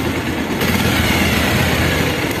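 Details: Bajaj Pulsar single-cylinder after a scissor gear modification to cure timing chain and engine noise: even, steady idle with no rattle or chain clatter standing out; normal idle.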